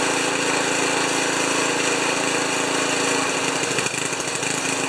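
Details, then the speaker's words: Ariens 2+2 snowblower small engine running on its own after cleaning a plugged carb jet and squirting fluid into the idle circuit, at about three-quarter throttle, smoking a little: fast steady chatter with slight unevenness near the end; normal running. "yes it's gonna start it's going to smoke a little bit we got three quarters two three-quarter throttle a little bit of this a little bit of that"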